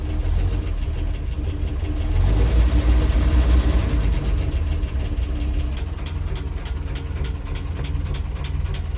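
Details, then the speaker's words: International R-170 4x4 truck, old petrol engine after some work: revs briefly then settles to a very slow steady deep idle around 300 rpm, normal apart from a noisy valve ticking. "And she idles down to about 300, it sounds like. That's crazy."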